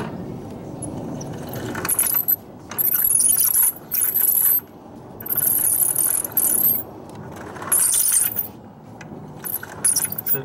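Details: 2010 Italika 170 GS motorcycle: rough grinding and ratcheting from the transmission, traced to a damaged main bearing with metal debris inside.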